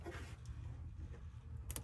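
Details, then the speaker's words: Chrysler 300 with a 392 Scat Pack engine swap that won't start. On reconnecting the battery, one sharp click sounds over a low hum, showing power reaches a relay, yet the dash stays dark. Owner wonders about the RF hub. "I'm going to disconnect the battery. And when I put it on, you're going to see the shake. You're going to hear it click."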